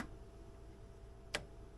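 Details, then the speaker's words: Classic fuel-injected Polaris RXL Indy triple snowmobile, a barn find. A second fuel pump gives one faint click and no whir when powered. It has voltage, and a bad connection unable to carry current is suspected. The fuel pump does not run. "nope still nothing well sounds like a second not good pump yeah you would have been able to feel that"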